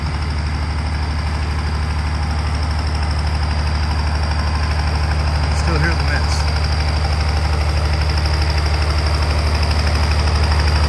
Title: M35A2 Multifuel engine misfiring exhaust sounds (1)